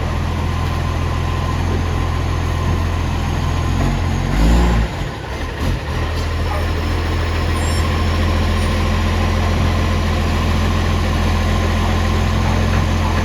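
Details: Ex-Canberra vehicle 728 at a steady, deep diesel idle with a loose, rapid puffing rasp riding on it, roughly four a second: a loud exhaust leak.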